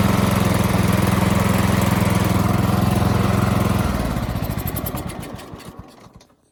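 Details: Toro Z4200 TimeCutter zero-turn mower, revived after flood submersion and two years parked, with fresh fuel and a charged battery: a steady, even thump at fast idle, then the beat slows and dies away at shutdown; runs normally.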